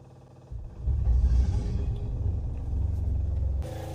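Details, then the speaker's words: Generator on a Pursuit 365 Sport Coupe boat, fire suppression bypassed, about 65 degrees outside: it catches after a brief crank and settles into a steady, even low rumble with good water flow, a normal start and run. "She started good. Let's make sure she's pumping. Good water flow."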